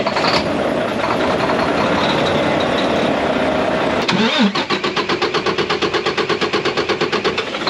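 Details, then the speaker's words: Mack MP8 / Volvo D13 truck diesel that long-cranks after sitting a day or two or after a fuel stop: starter chugs in slow even pulses, about three per second, for several seconds without catching; hard start. "The attempt that I did earlier, you can hear a little extra long-ish kind of start, but this is how it start to act up, right?"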